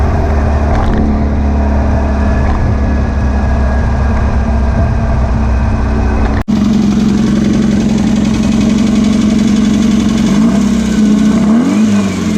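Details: Air-cooled VW beach buggy after clearing a blocked idle jet in the driver's-side carburettor and rebalancing the carbs: a steady, even drone with a brief rising rev near the end. No popping or misfire, and the idle is slightly fast.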